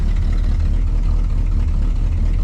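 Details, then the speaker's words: Old Cadillac, first start in about two months. Deep, steady V8 idle with an even beat and no knocks or ticks, oil pressure about 22–30 psi: normal idle. "But I did want to show you real quick. This is the first time it's been started in probably 2 months."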